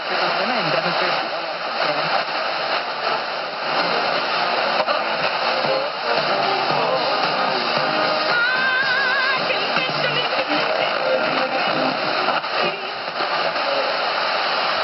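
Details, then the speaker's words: Vintage Motorola TP81BN AM/FM transistor radio, FM dial shifted down, owner suspects failing converter transistor; constant loud hiss buries faint station audio, super sensitive but picking up only noise. "It's like it's super sensitive, but all it's picking up is noise. And the noise is overpowering the FM stations."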